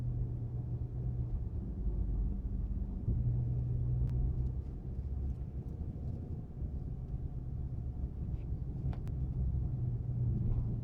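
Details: Chrysler 300 SRT Core circling tightly in car park at about 15 km/h; low droning howl swells and fades over road rumble; rear diff suspected, source unknown; howling noise when turning.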